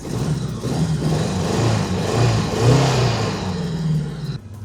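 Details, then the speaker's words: 1986 Honda Goldwing flat-four, bought not running, revs rise and fall with a lumpy uneven beat instead of a clean sweep while it smokes; rough running under throttle, cause not yet known. "Maybe give her some revs. See if maybe that smoke [music] clears up. It's really hard to say. Oh, it's smoking again. That doesn't sound good."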